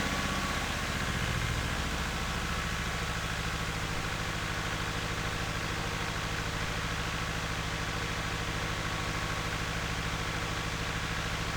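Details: 1976 RA23 Toyota Celica four-cylinder, rebuilt then stored for years, first cold runs: a lumpy, loping idle as if only half the cylinders fire; possibly running on 2 or 3 cylinders, seemingly improving.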